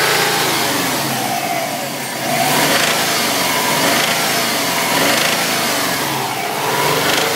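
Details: 2005 Subaru WRX or Saab 9-2X Aero flat-four revving: rough busy clatter with some knocking over the exhaust note, started yesterday under partial throttle on freeway, no oil starvation; owner suspects rod knock or spun bearing, unconfirmed.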